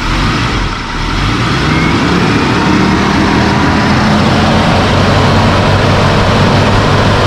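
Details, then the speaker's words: Original 4x4 Suzuki Jimny Katana with engine fan replaced by a Suzuki Vitara fan, so it sounds unlike typical Katanas; loud, even engine roar with strong fan rush on top, steady and clean, no knocks or misfires: normal running. "Sedemikian sehingga ini suaranya tidak seperti mobil-mobil Jimny Katana pada umumnya."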